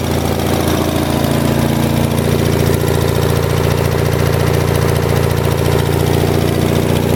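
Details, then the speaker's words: 1978 Lincoln Lincwelder 225 engine welder, cold start after spark/ignition problems fixed, carburetor not fully adjusted: runs smooth and steady at constant speed, even firing, no misfires or knocking; healthy. "so anyways we'll roll this out and we'll fire it up and this is going to be a cold start I haven't had this running since yesterday when I got home from work"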